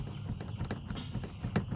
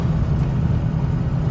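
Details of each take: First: Truck with a 6.0 engine, whose cab bushings were replaced a few weeks earlier: irregular light clicks and knocks over road rumble as the doors rattle; electrical tape helped, and the door strikers are to be adjusted. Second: but no doors no this little stretch of road right here is pretty rough as you can see by my hand bouncing with the camera but no door squeak so that's uh that's amazing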